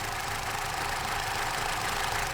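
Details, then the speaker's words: Opel/Vauxhall Astra with P0141 code, battery/engine light and cutting out, cold just after starting: idle has a slightly uneven beat with an occasional stumble; a misfire at idle heard, still to be warmed and driven. "now I don't if you can hear that it is struggling now there's kind of a fish by miss on that now there maybe we're not out of the woods yet"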